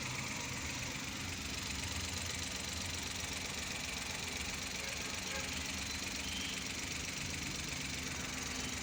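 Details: 2012 Mazda (a Suzuki Every twin), previously showing P0303 cylinder 3 misfire, after the repair work was completed. The idle is even and steady with a light regular tick and no misfire stumble. The engine runs smoothly.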